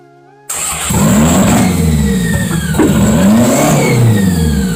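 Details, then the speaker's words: 1992 Toyota MR2 at its first start: it fires instantly and runs through a few blips with a steady, clean exhaust note and no misses or knocks. Vacuum line and idle issues are still to be sorted. "Hey guys, this thing just cranked over. I'm so freaking good, guys. This thing is amazing. It's not even put together right, and it sounds great."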